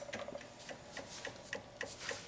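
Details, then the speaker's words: Honda Ruckus scooter at key on, with boosted battery: light, steady ticking three to four times a second; the magnetic fuel pump priming normally. "little noise is your fuel pump right down there magnetic fuel pump so we know that works"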